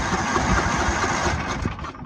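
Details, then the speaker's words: Free Craftsman riding mower cranking with ether in the carb: compression present, uneven chugs and slight popping that never catch; spark tester then confirms no spark, magneto cleaning or new ignition coil planned. "We got compression. I hear it popping. The carb may or may not be working, but with the ether in there, it should be popping off. I heard a little bit, not enough to satisfy me."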